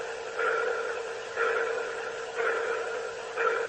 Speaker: that one came through it it was kind of like a pulsing noise almost like a sonor ping